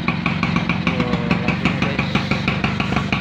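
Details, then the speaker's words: Vintage Vespa PTS two-stroke scooter revived, bored-out engine: crisp, even popping at easy idle, about three beats a second, firing cleanly; combustion judged perfect, sound somewhat louder due to the bore. "bahan bakarnya ini sempurna ini pembakarannya suaranya agak gede ya guys ini soalnya sudah di bedil ini opo Mbah"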